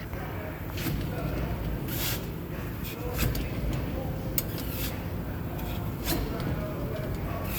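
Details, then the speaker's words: Nissan Versa, left rear wheel with choppy tire wear, checked for a rumbling noise: a low, steady rumble with a soft scraping swish about once a second as the wheel turns; pushing the tire shows it going backwards, meaning a binding wheel bearing. "but what I just showed you by pushing on this tire you see that how it's going backwards that means the wheel bearing is binding"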